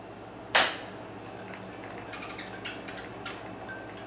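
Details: Restored 1940s General Day Lite Company F20T12 preheat fluorescent fixture, after paint was cleared from a starter socket: a sharp snap at switch-on, then a few faint, spaced ticks as the starter works the tubes. This is a normal preheat start.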